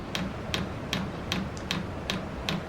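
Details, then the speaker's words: Maxpeedingrods 5-8kW diesel parking heater, restarted while fault-finding white smoke, fuel pipe looped back on itself: fan turning very slowly, sharp dry fuel pump ticks about 2.5 per second over low fan hum; normal pump ticking. "So the fan's going very slowly now, and the fuel pump is actually ticking, so it's trying to put some fuel into it."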